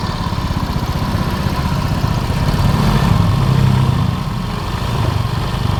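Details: Yamaha Mio Soul GT 125 after a new cylinder block and piston and an oil change: the single-cylinder engine idles evenly and revs cleanly with no rattle, and the smoke is gone. Normal idle and revving.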